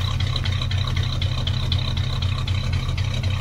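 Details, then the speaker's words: 1963 Cadillac Coupe DeVille V8, first start after about 10 years, carburetor rebuilt, fed gravity fuel from a funnel. Lumpy idle stumbling about four times a second with a ragged exhaust pulse. Owner says seven and a half of eight cylinders are firing. "but she's a runner you can hit the key as she said she fires up and you know seven and a half out of eight cylinders ain't so bad"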